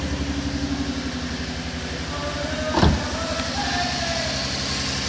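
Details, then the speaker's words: 2012 Ford Mustang 3.7L, 70,000 miles, check engine light on, scope on cylinders 4–6. It runs briefly with a lumpy stumbling pulse while raw fuel comes out of the exhaust; misfire from a leaking fuel injector. "i'm gonna start it but it's only gonna be a couple seconds because i got leaking fuel i got raw fuel coming out of the exhaust"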